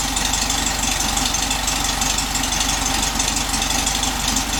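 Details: 1967 VW Beetle air-cooled flat-four with rebuilt distributor and correct spark plugs, warming up after about a minute of running; steady quick even beat, no misfire, normal idle.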